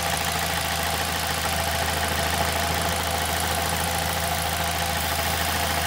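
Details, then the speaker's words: 2006 Ford Fiesta ST at idle: steady idle with constant buzzy metallic rattle from the exhaust manifold heat shield vibrating loose because of a broken bolt. "So the problem I'm having with it at the minute is when it's on idle you can hear it vibrating around because there's a broken bolt."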